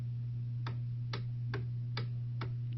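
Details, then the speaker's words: Hammond B2 organ start/run circuit fault: start motor runs, but when the run switch is engaged it shuts off; steady low hum with sharp ticks about twice a second as the start motor fails to spin. "hit the start motor it works now hit the run switch you hear that the start motor just shuts right off"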